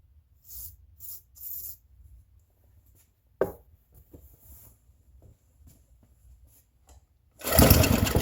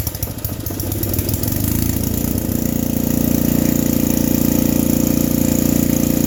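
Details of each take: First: Free vintage small-engine generator with varnish in it, started with a whiff of ether, killed by grounding the spark plug: after quiet handling it fires and holds a steady, even buzz with no misses; normal start and running. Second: Vintage generator: catches after a rough start, then a steady, fast, high hum; owner feels it runs faster than it should, and the generator gives no output, possibly a ground issue; overspeed suspected, unconfirmed.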